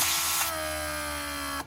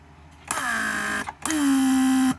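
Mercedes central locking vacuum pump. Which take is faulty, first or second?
first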